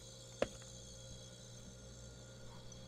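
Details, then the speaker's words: Dead wine cooler's compressor wired straight to 110 V, bypassing the controls; a click, then steady even low hum. Compressor starts, cools and runs fine; low-voltage transformer suspected as the fault. "compressor is running okay so we know that is a good compressor"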